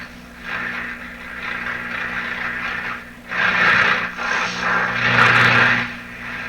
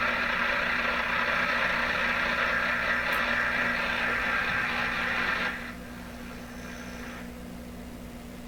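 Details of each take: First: Atwater Kent Model 36 radio with a suspect output tube, speaker refitted, antenna on red wire, turned up and tuned: swelling hiss and crackle over a low steady hum, no station; radio seems to work, only household interference. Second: Atwater Kent Model 36 radio on outdoor wire antenna (no loop, no directionality), suspected bad output tube, tuned near 680; steady hiss and crackle with faint buzz, no station. Radio interference noise.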